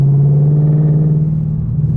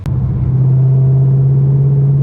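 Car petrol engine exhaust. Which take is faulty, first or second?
first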